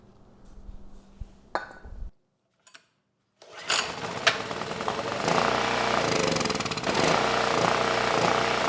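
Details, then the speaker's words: Free Predator generator engine (model PM0123250) with no power output, started on starting fluid with a light plugged in: catches and runs steadily with a clean firing beat, no knocks or misses; engine sounds good, fuel system dirty. "Well, that was a good test. The engine, it sounds good."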